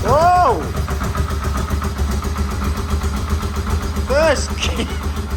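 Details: Yamaha Vmax engine, rebuilt from the frame up, first start after rebuild with an oil pressure gauge fitted and no airbox. The starter whirrs, it catches first try and settles to an even idle around 1,000 rpm, with no knocks or misses and good oil pressure. Normal start and idle.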